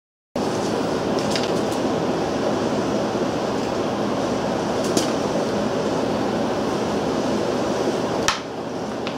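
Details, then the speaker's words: Briggs & Stratton Model B (B 7 S) engine with non-original muffler and added gas shutoff, just started: starts at once and holds a steady, even mid-pitched run without surging, misses or knocks; seems to run nicely. "Seems to run nicely."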